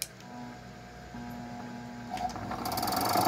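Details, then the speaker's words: 220 V electric gate motor fed 127 V with its original, now undersized capacitor: a steady low hum as it strains and barely turns, starting only with a hand push and still weak. "o meu motor custou sair do lugar nem deu partida viu meu motor tá tentando partir lá ó tô ajudando com a mão de novo"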